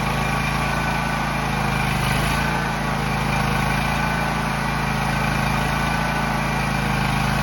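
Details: John Deere X304 lawn mower after freeing stuck carburetor fuel shutoff valve, carb not fully cleaned, sat about two years: steady even engine beat at constant speed, no misses, surges or knocks; runs pretty good, normal running.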